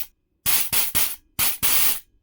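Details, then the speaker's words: Rebuilt previously stuck, rusted nitrous solenoid tested: five crisp hissing bursts starting and stopping cleanly; solenoid opens and closes properly, spray normal. "Let's see if the nitrous solenoid's working right. Yeah, that's way less nitrous. That seems to be working fine."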